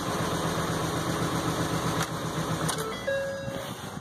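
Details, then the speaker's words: Ford F550 6.8 V10 (interference engine) restarted after replacing a fouled spark plug that caused a miss; smooth, even idle with a steady low drum and no miss or stumble; running cleanly, owner satisfied. "it sounds good all right so I'm pretty satisfied"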